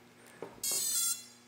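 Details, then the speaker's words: DIY honeycomb MultiWii quadcopter (yellow team), ESCs powered up: one short high beep, then silence without long initialization beep; arms but no throttle response. ESCs fail to initialize, traced to MINCOMMAND firmware value. "So, it's missing the long beep. And now, what you can still do is I can still arm. See the blue LED comes on. But if I give it throttle, we get nothing."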